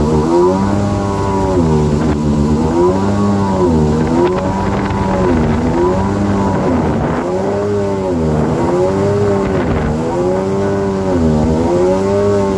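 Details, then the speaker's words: 2000 Yamaha XL800 two-stroke watercraft, freshly rebuilt engine and Mikuni-rebuilt carbs, on water about 27 mph: engine note rises and falls in a steady wave every two seconds at 5000 rpm, surging; idle fine, cause unknown. "i'll go about 27 and i have to let out of the throttle once it hits 5000 it does this surging"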